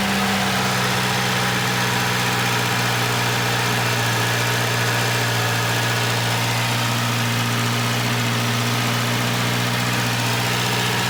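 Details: Volvo 240 started on a cold 20-degree day, idling high while warming up: loud raspy hiss over the low hum, like an open downpipe; a bad exhaust leak.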